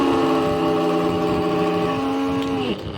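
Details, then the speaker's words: 550 W mixer grinder, jar removed: steady motor hum with whiny tone runs briefly, then sags and dies; motor stalls, shaft shows play, suspected worn brush or faulty armature. "थोड़ा घूम के रु जा रहा है और इस तरीके से आवाज आ रही है इसमें"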